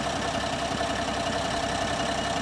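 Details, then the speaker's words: 2025 Ram 1500 Rebel, twin-turbo straight-six SST standard output, 2,500 miles, running: lumpy uneven idle with stumbles and knocks, engine visibly shaking, truck surging; solid misfire with no check engine light. "she's literally misfiring solid and it has been this whole time check engine light is not on now"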